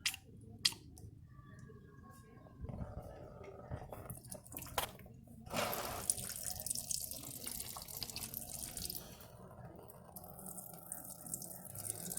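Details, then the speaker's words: 2008 Ford Ka 1.0 brake bleeding with DOT 4 fluid, compressor adding light pressure: irregular dripping and spitting hiss at the open wheel bleeder as air bubbles break up the flow, until clean fluid comes. "Olha o ar saindo, essas falhas que daí é o ar saindo."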